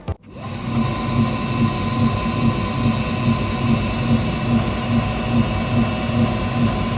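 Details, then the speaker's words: BTH BP02 pottery wheel at about 300 rpm: soft regular thump about twice a second under steady motor hum, from belt bending memory after inactivity or cold causing stick-slip; normal, harmless. "So this is completely normal for belt-driven system. [music] It does not affect performance, stability or durability."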